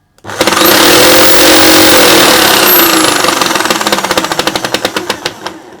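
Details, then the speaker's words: Milwaukee FSPE-110-QX jigsaw, unloaded, suddenly much noisier: harsh, loud, fast rhythmic clacking over the motor as it spins down; owner suspects a missing gear tooth, later fixed by replacing the gear wheel. "So you can hear that real clacking noise. I suspect it's missing one of the teeth in the gear, and that's the clacking noise when the gear is coming across that gap."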